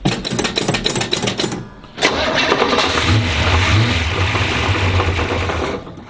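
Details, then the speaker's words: 1967 Pontiac GTO V8, not run for a while, being prepped for a show: cranks, catches and rumbles with a startup knock; the cause was found to be loose flex plate to torque converter bolts. "flex place loose it was oh [ __ ] it is flex plate through the converter yep oh [ __ ] i hear it"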